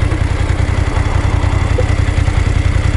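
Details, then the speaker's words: BMW F850GS twin in neutral, action cam mounted low; owner heard tappet-like rattle at 50–60 km/h under throttle: low, steady twin-cylinder idle pulse, no rattle; Motorrad service test-rode it and found no fault, sound normal. "ちゃんとサービスの人にバイク試乗してもらってね、これ乗ってもらって、音を確認してもらって、結果的には異常なしと、この音は正常ですということ"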